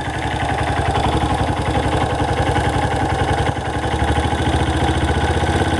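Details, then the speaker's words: Uneven rhythmic slapping clatter at idle, about three beats a second; owner suspects a slack timing chain, possibly exhaust valves clicking though a valve job was done recently. "does that sound like a chain a loose chain slapping"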